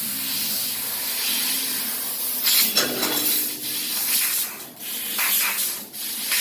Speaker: But you hear the nitrogen. We're cutting with about 220 psi of nitrogen there, and you can see those quick acceleration and rapids as the machine's moving back and forth.